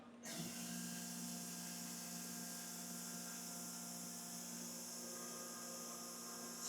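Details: OSG HiPro non-ferrous end mill, about 8D long, making a zero-cut finishing pass on an aluminium wall: a clean, steady high-pitched whine holding one even pitch with no chatter or wavering; a smooth, healthy finishing cut.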